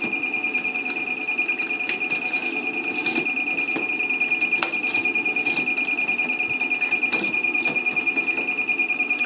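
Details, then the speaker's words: LaCie Biggest FireWire 800 enclosure, no drives, bought as working but won't operate: steady high fan whir pinned at full speed under a fast ticking cycle, not meant to. Cooling fan running at full speed. "that fan is definitely spinning at full speed i don't think it's meant to"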